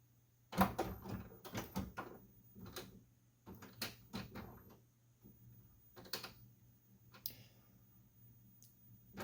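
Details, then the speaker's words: Epson WF-7720 printer powering on after a month out of service and replacement of the jammed waste ink unit (Close Ink Cover error); irregular gritty clicks and crunches from the mechanism. Crunchy mechanism noise on startup. "don't like those crunchy noises."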